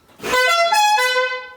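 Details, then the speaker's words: 1967 VW Beetle 1500 barn-find, long unused, on a small battery: clear, steady horn tone for about a second and a half, strong and unbroken, normal horn. "Whoa, the horn works still."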